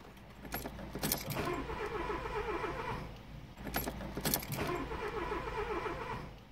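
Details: 2002 Renault Clio II crank no-start after a flat battery: two short starter bursts with keys rattling, never catching. The red immobilizer light stays on; the three relays under the relay box tested fine, and the owner suspects a mucky connection there.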